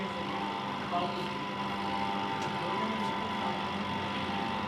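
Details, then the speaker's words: Spin-dryer (spinner) motor that runs very slowly and won't spin clothes. It draws current and starts only when pushed, giving a steady, weak electrical hum with no rise in pitch. "यह अभी current जरूर ले रही है धक्का लगाने से यह स्टार्ट हो रही है करंट ले रही है आपको आवाज इसके आवाज से भी सही नजर आ रहा है"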